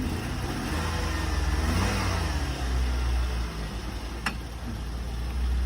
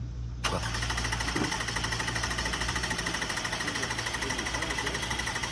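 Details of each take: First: 2001 Nissan Sentra that started right up without a jump, run in reverse then forward, gives a very quiet, smooth note rising gently with light revs, no knocks or rattles; sounds pretty good. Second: 2004 Lexus ES 330 on a jump box cranks steadily at about three turns a second but never fires; it reportedly ran minutes earlier, and it doesn't sound like it's getting gas, perhaps out of fuel.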